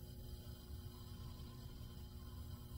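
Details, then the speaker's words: LinMot linear servo actuator on EtherCAT with a Beckhoff PLC (TwinCAT 3), just enabled and holding its position with no motion commanded: a quiet, steady low hum with a faint mid tone, which is normal. "we can hear the humming of the servo as it is trying to hold the current position now that it is enabled"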